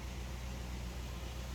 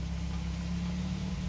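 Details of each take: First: Suzuki Grand Vitara (fuel-injected) converted to run on LPG from a 3 kg cylinder through a high-pressure regulator, idling on gas at a normal 900 rpm: low, steady, even hum with no misses or knocks. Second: 2008 Suzuki Grand Vitara (injection) converted to LPG, idling on gas: steady low rumble fades and dies within about a second as the gas tap is shut, a fuel-starvation stall.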